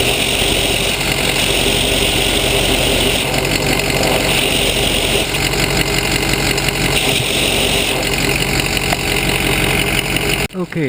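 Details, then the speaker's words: Ford Super Duty idling, vacuum hose run along the exhaust with the other end at the microphone: sharp airy hiss rises and falls as it passes the leak at the RH inlet pipe to Y-pipe. Small manifold leaks too. Exhaust leak. "Okay, if you notice that air noise change, that was the vacuum hose picking up the exhaust leak."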